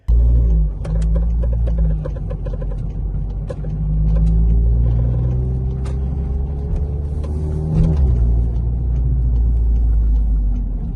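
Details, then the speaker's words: Car on Airlift Performance air suspension, driving: irregular sharp clicks and creaks from the front upper strut (pillowball) bushings over low road rumble, starting about a week after the kit was installed. "when I first got this kit like it was super quiet super chill for about a week and then I started having these bushing sounds and I know a lot of people have had this problem with the airlift suspension um like bushings"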